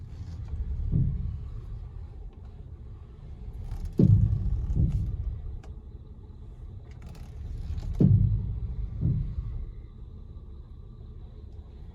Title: 2016 Honda Pilot Clunking Noise, what is it???